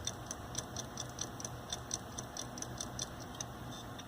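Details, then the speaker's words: Hitachi hard drive, about 7 years old, failing in a Linux mdraid RAID1 array during replacement: sharp light clicks about five per second over a quiet hum as the drive locks up and resync speed drops. "Yeah, I think we got a problem here. Go back up to the PC here. My Donald Trump video that I was watching stopped loading as this drive starts to lock up and do weird stuff."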